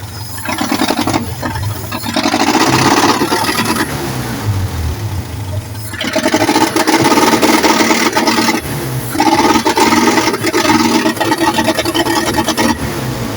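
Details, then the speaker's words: Old-model forklift gasoline engine, misfiring, throttle opened before repair: surges and stumbles, won't accelerate or rev cleanly; misfire, later addressed by cleaning and setting clearance. "So kita nyo mga boss, hindi po siya ma-accelerate o hindi po siya ma-revolution,"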